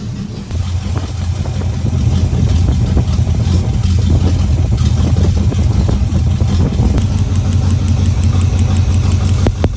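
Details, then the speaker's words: Small-block Chevy V8 in a Camaro, fresh oil change, misfiring on cylinder 7 mostly when cold despite new plug and wire: deep lumpy idle with uneven exhaust beat, then a short rev; rough idle with misfire. "this vehicle and still another issue which I haven't mentioned yet is it was always misfiring on cylinder 7 which I attribut some of the rough running to that it was usually whenever it was cold you could hear a you know buom buom buom buom buom but it was still firing on that cylinder"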